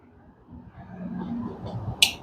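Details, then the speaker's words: Super General single-door mini fridge, R600a compressor on power-up: low strained hum for about a second, then a sharp click as the overload protector trips; compressor fails to start, PTC relay and overload to be checked. "here you can hear the noise this is the problem this is the complaint now we have to check actually it is overload uh that's mean protector it is uh going up because of that is making noise"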